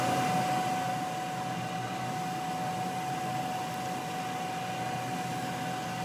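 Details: Homemade dust collector (blower on hat, cyclone, dust bin), vacuuming floor dust: steady blower rush with clean whine near 750 Hz, no knocks, rattles or surging; healthy.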